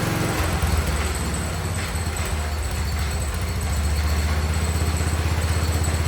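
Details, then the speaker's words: 47-year-old Wheel Horse tractor single-cylinder after carb tuning, suspected sticking float, choke fully off: steady low putter about four beats a second, even idle, no misses; running properly, belt drive noisy. "I think it was iding slightly better I was able to shut the choke all the way off in here and uh I think it sounds good"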